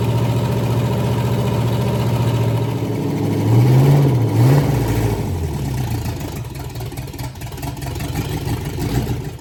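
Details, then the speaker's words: Pontiac 461 stroker V8 first fire-up on a run stand with open manifolds: loud, lumpy big-cam idle with a quick rev that climbs and settles cleanly; sounds like a healthy engine. "well that didn't sound too bad did it sounds like a pretty nice engine"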